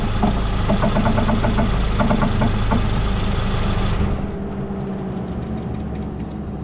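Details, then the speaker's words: 2014 Ford Fusion running, steering at full left lock; sharp popping clicks about three seconds then quiet; electric power steering motor has broken bolt, separating from rack with water intrusion and corrosion; new front struts didn't fix popping: motor separating from rack. "Now I'm going to lower the vehicle down, and we'll see if we can hear that popping noise from that motor to gear."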